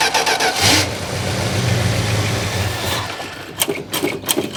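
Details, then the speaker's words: 1971 Plymouth Road Runner, possible 340 H-code V8: catches quickly and settles into an even, smooth idle with no ticking from the top end; sounds healthy, though carburetor needs rebuilding for a non-working diaphragm. "All right, I'm just sitting here jacking around, but it sounds good. I mean, it sounds no I didn't hear no ticking."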